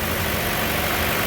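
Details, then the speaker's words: 2015 Chevy Cruze after valve cover/PCV replacement with new GM part, freshly started and still warming: smooth even idle, no whistle, squeak or hiss; normal idle. "engine seems to be idling a lot smoother also so that's good"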